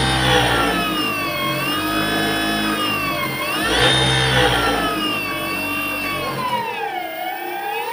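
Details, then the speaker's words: Easy bike (e-rickshaw) drive motor, end cap already removed, run before disassembly: loud whirring with a rising and falling tone as speed swings, noisy throughout; excessive motor noise, cause not yet found. "তো বন্ধুরা, এই মোটরটায় অনেক শব্দ আসতেছে। তো বন্ধুরা, আসলে কি সমস্যার কারণে এই শব্দটা আসে?"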